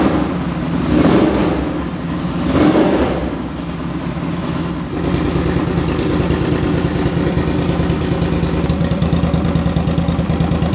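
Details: 2005 Suzuki V-Strom 650 after a swap to a very low-mileage replacement engine (the original had rod knock), muffler off: two sharp throttle blips, then a steady, even, throaty V-twin idle with no knocks or rattles, healthy.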